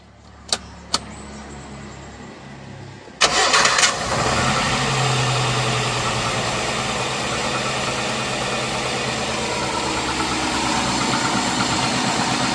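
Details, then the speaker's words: Suzuki APV fuel-injected engine with its original, normal MAP sensor: a brief crank catches quickly, then a steady, even idle with no misses or knocks, the healthy baseline before the MAP sensor is unplugged. "ini sensor masih bawaan Masih normal Kita tes dulu"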